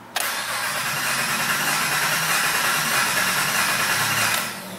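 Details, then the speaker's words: 2007 Honda Ridgeline 3.5, about 79-80k miles, rough running with misfire: cranking with coils unplugged gives a lopsided, uneven rhythm for about four seconds, pointing to one low-compression cylinder. "hopefully the audio pick that up but that does not sound good folks that sounds like clearly like a bad cylinder"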